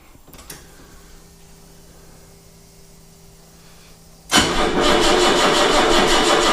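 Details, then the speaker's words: 1979 BMW 633CSi, sat four to five years, battery being charged: starter churns with even pulses for several seconds, engine never catches; crank no start, flat battery. "right get the power whipped on give it a we minute or two working that battery up"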